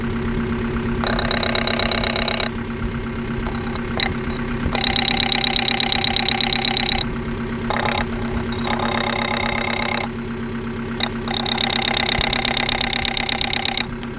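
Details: 1.9L TDI diesel idling with fuel problem: sharp rapid clatter riding over the engine, coming and going in bursts; injector knock, injectors diagnosed as less than perfect.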